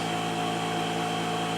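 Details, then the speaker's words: Delta 6-inch variable-speed bench grinder, new, at full speed: steady even hum with constant whine, no wobble, rubbing or grinding; quiet and running smoothly, slight vibration noted only at lowest setting. "Uh, full speed right there. And it's actually pretty quiet."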